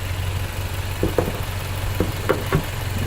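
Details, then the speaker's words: 1997 Honda Prelude at idle with a pieced-together custom intake. Steady, deep, even idle rumble with a raw exhaust tone and a few light clicks; sounds healthy and smooth. "You can kind of hear the exhaust a little bit. Sounds pretty good."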